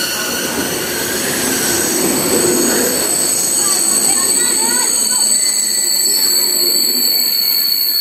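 Steady high-pitched squeal rings over the rolling rumble as the train slows; ordinary brake and wheel squeal, nothing abnormal.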